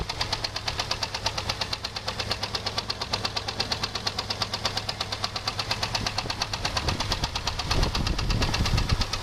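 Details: 2001 Jeep Grand Cherokee 4.0 straight six: sharp steady knock about twice a second at idle, started suddenly after a 10-minute park; loudest at exhaust manifold-to-engine joint; valves checked, belt removed, oil pressure and level normal; not thought a rod; wind on microphone.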